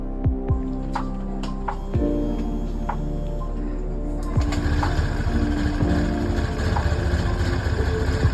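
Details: Honda Beat scooter that ran out of oil, first start after an engine teardown and rebuild, with the CVT parts removed: a few cranking thumps, then the engine catches and runs with an uneven, lumpy beat, struggling to idle.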